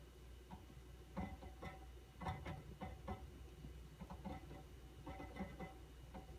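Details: QNAP TS-419P II NAS with 8 TB HDDs, only under load, silent at idle: irregular sharp clicks about two a second over steady hum; cause suspected, not confirmed.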